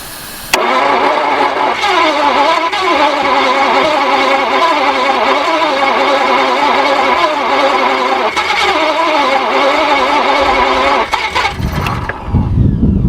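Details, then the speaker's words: Barn-find Jaguar/Daimler Mk2 hemi-style 2.5 litre V8, previously seized, distributor advance possibly shot and compensated: steady fast cranking with brief full-revolution catches that don't keep running; plugs possibly fouled. "whether it's found the plugs instantly from the crap we've had in there, I'm not too sure. But that definitely did run a fire. And it actually sounded like it was going to run on all cylinders."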